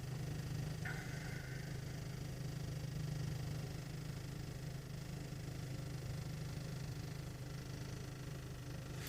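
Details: 1.8 TSI at cold idle: a steady low droning boom with a loose, uneven throb, heard only inside the cabin, not outside or in the engine bay. It vanishes with slight throttle and once warm. Source unknown.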